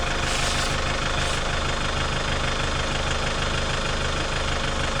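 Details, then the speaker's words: Chevrolet Captiva 2.2 diesel idling after a service with new oil, oil filter and fuel filters, left running to purge air: steady, even diesel clatter with no misses or hunting, a healthy idle with no leaks. "donc là la voiture est en train de tourner elle tourne parfaitement bien au ralenti"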